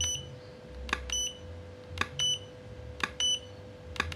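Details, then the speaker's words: Godox V850 speedlite repaired for not switching on, fixed without replacing the board, tested at lowest then 1/4 power: sharp pop roughly once a second, each followed by a short high ready beep; firing and recycling normally. "kita Nyalakan ya kita tembak di power terkecil ya Om kita naikin di power 1/empat ya kita tes Nih"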